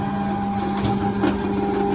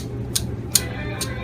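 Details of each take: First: Norvell Auto Revolution Plus spray tan booth after replacement of the upper stepper motor; on power-up a smooth, even whir drives the arm to its home position and stops cleanly. Normal stepper motor operation after repair. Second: Old failing upper stepper motor from a Norvell Auto Revolution Plus spray tan booth, removed and spun by hand: sharp bright clicks about every 0.4 s, then it sticks in one direction; the new motor turns smoothly and quietly.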